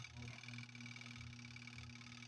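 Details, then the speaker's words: Twin-tub washing machine spin motor loaded with wet clothes. It gives a steady low electrical hum and only twitches or fails to spin up; it had started when unloaded. Failed capacitor. "haciendo zumbido vamos a ver ven no está funcionando a veces gira un poquitito otras veces intenta y y no lo logra porque como les digo ya con carga el motor pues requiere un impulso mayor que cuando no tiene carga"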